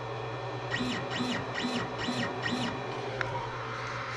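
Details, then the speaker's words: Creality Ender 5 Plus 3D printer auto-homing on stock board before Silent Board v2.2.1 upgrade: five quick whirring chirps rising and falling, loud stepper motor whine from the stock drivers. "I'm gonna auto home it so you can hear what the mountain sound I mean the motor sounds like right now"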